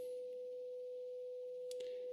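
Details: Graetz Comedia 616 tube radio after capacitor replacement, first power-up: generator tone injected into power amp stage reproduced pure and steady, no buzz or crackle, undistorted; amplifier working properly.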